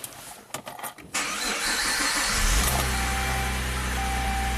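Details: Saab 9-3 V6 turbo manual with intermittent no-crank, original engine computer plugged back in, check engine light now present: short crank, then engine catches cleanly into even steady idle with no stumble; normal crank and start.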